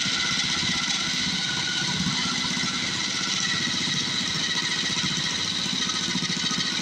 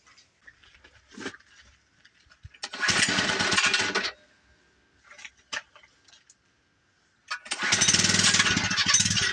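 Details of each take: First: Cheap second-hand small-engine mini bike just started on choke and warming up, choke taken off too soon: quick, even putter with a steady buzzy exhaust note and no knocks or misses, running normally. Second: Cheap second-hand small-engine mini bike on its first test run: buzzy bursts that catch, cut out and fire again, quitting after half a block; owner unsure whether water on the shut-off grounded the engine or it's a fuel issue, idle possibly set too low.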